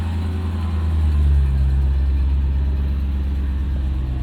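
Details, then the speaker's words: Mercedes-Benz ML55 AMG V8 at idle after plugging things back in, deep steady burble with no knocks or misses; idles fine but falls flat on its face under throttle when driven, cause still unknown. "and frustratingly as you guys can hear it idles beautifully and this is how it's been the entire time I've had it"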